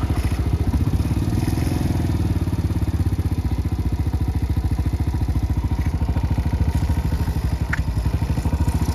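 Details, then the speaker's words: 2019 Yamaha Mio Sporty single-cylinder scooter after valve repair cured no compression: even steady idle putter, regular firing, no misses; now has more power, healthy with good compression. "Mas may pwersa na nga siya ngayon."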